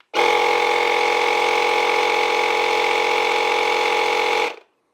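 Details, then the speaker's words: AutoOne 10000A jump starter with built-in air compressor inflating a tire from 33 to 36 PSI: steady buzzing drone at one pitch, then auto shut-off at set pressure; normal operation. "and it's going to stop right at your desired pressure. So, now we're at 36 PSI."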